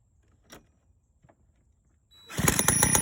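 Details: 1985 Honda Spree scooter, previously hard to start: quiet taps, then the engine catches and settles into a fast, crackly two-stroke beat. Now running; cause of the hard start unknown.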